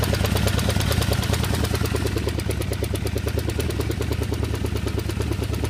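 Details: 1978 Honda CB550K four-cylinder, unknown noise of unclear source: steady light ticking over an uneven idle that continues through revs; a top-end tick, cause not yet identified.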